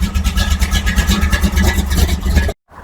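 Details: 1964 Chevy II gasser V8 after a year in storage, warming up at idle before the drive home: deep, steady burbling with an even pulse, no misses or knocks. Normal healthy idle.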